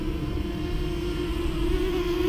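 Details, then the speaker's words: Walkera Rodeo 150 micro FPV racing quadcopter (FCC TX5832) on a two-cell battery, flying right next to the camera in gusty wind: soft, steady, quiet motor hum at mid pitch under wind rumble; normal running. "I mean flying right next to the camera now you can hear just how quiet it is"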